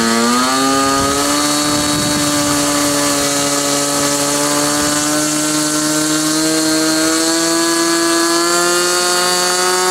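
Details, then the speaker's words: SIG Kadet LT-40 model aircraft glow engine during break-in, needle set about one and a third turns after running too rich: high, steady buzzing note creeping slightly upward, even throughout; smooth normal running. "so what you're going to see next is the remainder of that video after it was running and running smoothly I turned it back on and uh let it run for a while"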